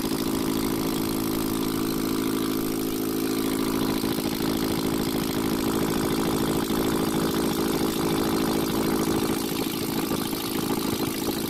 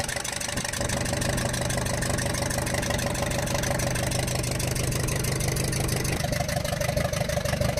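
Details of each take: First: Ashok Leyland Captain BS4 N4 diesel truck after repair: steady, even idle with a smooth uniform beat, no knocking or irregular misses; noise gone and diesel coming out at the rearmost cylinder stopped. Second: Ashok Leyland Captain 4923 BS4 N4S diesel truck with low pickup and smoke: sharp, rapid ticking clatter at idle with manifold side opened; valve bridge on first rocker from rear had fallen out, raw diesel seeping and burning.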